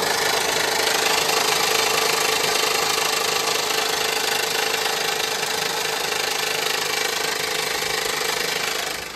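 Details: 2015 Honda Pilot 3.5L i-VTEC: steady idle with fast regular knock about four a second over a busy, rattly top end; source not pinned down, harmonic balancer and timing area suspected, not confirmed.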